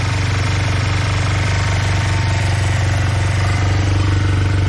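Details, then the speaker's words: Honda CB125 twin with new cylinder barrel, reground valves, choke off, idling: steady low lumpy thumping at about four beats a second; one side runs hot, other not; owner suspects carbs unbalanced, one lean one rich. "They're not balanced, or one's running lean and the other one's running rich."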